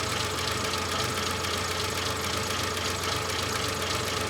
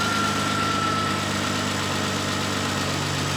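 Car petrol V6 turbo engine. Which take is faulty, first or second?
first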